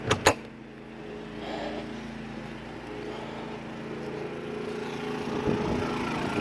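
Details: Travel trailer air conditioner, fan on automatic and high, drawing 17.4 amps from a new Harbor Freight inverter generator, recorded inside the trailer; steady, even fan whoosh over a low hum, no rattles or squeals, running normally.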